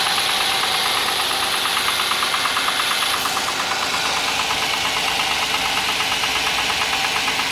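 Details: Audi A6 C6 on a cold morning start: idle with sharp, regular metallic tapping about three per second over the engine note; engine knock of unknown cause.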